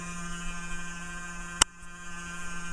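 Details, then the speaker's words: Dell Dimension E521 desktop running: steady loud low buzz at even pitch with one sharp click midway; owner suspects the power supply fan over the case ventilation, front panel and CPU fans; kind of loud, source unconfirmed. "that must be the power supply fan because the video card doesn't have a fan on it and I don't think it's the front panel fan the case ventilation fan the CPU fan um let's kind of loud"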